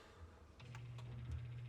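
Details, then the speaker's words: KitchenAid fridge not cooling while freezer works, damper (flapper) motor WPW10594329 commanded open: low steady hum with faint clicks but the flap stays shut; stripped damper motor gears, damper motor being replaced. "So when I did that, I could hear a little bit of noise, but it was not opening. So it has its own mind. What happens is when the gears are stripped on inside of this little motor,"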